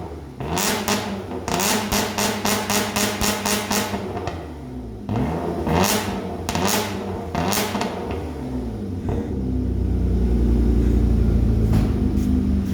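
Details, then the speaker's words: Car after exhaust leak repair (fumes had been entering through the trunk; previously had half a muffler), new pipe fitted: sharp blips, rising and falling revs, then a deep steady drone; loud free-flowing exhaust with no leak puffs. "Let's see how this thing sounds. It was pretty loud before, but it had half the muffler."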